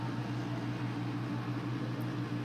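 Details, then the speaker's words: Pride DX-300 linear amplifier with single 4CX250B tube, in immaculate condition: cooling blower runs with a smooth even hum and airy rush, none of the ticking or clicking these blowers usually make; normal operation. "They tick. You can hear them run in the background. Somebody's running one, you can hear them running, and they tick and click and do all that stuff. This thing, not doing all that."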